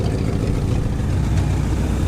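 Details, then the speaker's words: Classic Ford Galaxie V8 parked five years, only new plugs and fuel pump, idling: low steady rumble with rough puffing edge; exhaust leak heard right under the passenger door. "Alright, sounds like we got an exhaust leak right under the passenger door."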